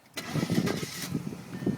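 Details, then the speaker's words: 2000 Audi S4 twin-turbo quattro sedan: brief crank catches at once and settles straight into a steady idle, with the AC fan humming in the background; a clean, healthy start. "Car starts right up. Probably hear the AC blowing in the background here."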